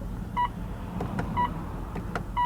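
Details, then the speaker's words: 2016 Mitsubishi Outlander PHEV 2.0 GX4h, cabin: short, clear mid-pitched beep about once a second, each after pressing the trip computer display button; a normal confirmation tone, not a fault. "Why is there an audible beep? Who thought that was a good idea?"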